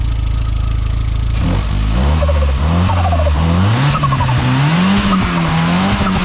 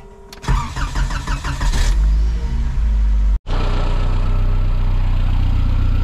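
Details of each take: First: Škoda 130 turbo after turbo and exhaust modifications, engine revved up and down; fluttering chatter on throttle closing as back pressure still hits the turbo blades, blow-off valve spring probably too stiff, a softer spring likely needed. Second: Škoda 130 turbo with modified turbo and exhaust. Brief crank, then it catches cleanly and settles into a steady, even idle with no misfire; normal start and idle.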